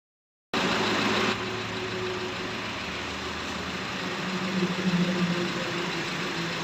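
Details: Maruti Ertiga diesel (Quadrajet) idling: steady diesel clatter with no sharp knock standing out, the engine sounding settled and normal.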